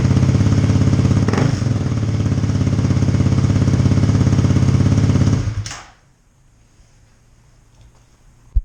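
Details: 2018 Kawasaki KLX250 dual-sport with newly installed FMF Q4 slip-on exhaust, silencer insert fitted, mid-pipe resealed after leaking: deep, loud, even thumping, then clean shutoff; normal loud aftermarket exhaust note, could go louder without silencer.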